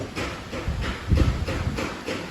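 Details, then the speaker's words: Chevrolet petrol engine at idle after a previous engine repair elsewhere: uneven lumpy chuffs about three a second, a misfire traced to a problem inside the engine with parts left untightened. "यह वाला जो गाड़ी है तो ये किसी से उन्होंने इंजन रिपेयर करवाया। जब हमने चेक किया तो मिस फायरिंग कर"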